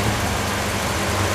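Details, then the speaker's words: 2009 Toyota Yaris E at idle with the AC fan on the highest setting. Steady low hum, no knocks or shaking, and the engine stays quiet; engine mounts still working; normal idle under AC load. "Kita rasakan bagian mesinnya sunyi, senyap. Bagian mesinnya sunyi dan senyap sahabat di mobil gua, mobil bekas tahun 2009,"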